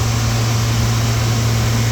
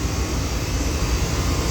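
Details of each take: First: Through-the-wall AC condenser on a no-cooling call, after the condenser fan motor was started: steady low hum with a coarse tumbling rattle until cutoff, compressor sounding like it has rocks in it, pointing to internal damage. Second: Air conditioning unit after compressor had sounded rough like sneakers in a dryer, charge evacuated and refilled with new R-22: even steady whoosh from fan and compressor, no rattle or knocking; supply temperature dropping. Normal running.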